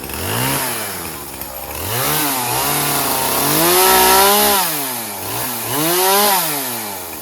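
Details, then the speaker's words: Poulan Pro 50cc 20-inch chainsaw refueled with 40:1 premix: revs cleanly from idle to a strong steady scream and back, crisp response, no stumbling; strong, though chain loosens again. "All right. Well, that worked out pretty well. Pretty strong machine."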